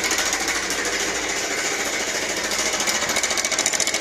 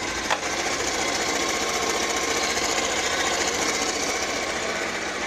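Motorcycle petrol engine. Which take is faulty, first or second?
first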